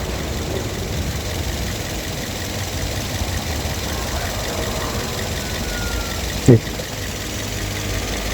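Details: After timing chain set, engine mounting and spacer work: even, steady idle with a low, smooth hum, no rattle or ticking from the timing chain at the front; vibration to steering wheel and seat nearly gone.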